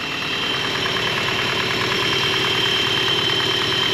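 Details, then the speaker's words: 1983 Toyota Pickup SR5, parked about a year, at idle while warming: bright metallic rattle about three times a second over steady idle; worn timing chain guide slapping, not yet fixed. "and now you can really he that freaking chain guide I'll fix it someday I promise"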